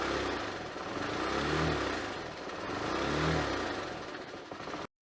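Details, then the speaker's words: Honda CBX125 motorcycle, stationary, revving the engine; rough clattery noise swelling as revs climb, odd noise under revving that also appeared while riding; owner suspected low fuel and topped it up; cause later found. "停止してても、エンジン回転数を上げると、変な音がする。この音の原因、わかりますか？"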